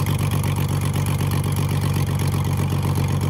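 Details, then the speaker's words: Ford Falcon AU six, revived, on plugs showing turbo wear after the turbo manifold came off, at idle: even, steady low burble with no misses or stumbles, firing smoothly and idling perfectly. "it's running idoling perfectly we done some dodgy [ __ ] as always look at that"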